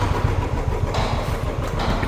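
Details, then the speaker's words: Royal Enfield Classic 350 started after sitting many days and many kicks; a quick, lumpy single-cylinder thump at a steady raised idle because the choke is pulled on. "Chowk ಎಳ್ದಿರೋದಕ್ಕೆ ಹಂಗೆ ಐತಿರೋದು. ಚೌಕ್ ಇಳಿಸೋಣ."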